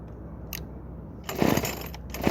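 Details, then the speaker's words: Craftsman WS2400 two-stroke pole saw, bought used from a pawn shop, starts but runs poorly: catches in short ragged bursts and falls back, never holding steady revs. Cause: stale fuel and carburetor mixture. "in today's video I'll be going over on fitting this Craftsman ws2400 pole saw that starts but doesn't run very well"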